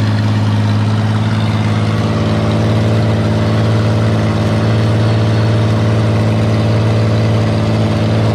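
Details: Auto X build engine started after the fuel pump was primed and its wiring, damaged by dogs, was extended: it fires and settles into a steady, even, low idle with no knocks or misses. The water pump gives good pressure.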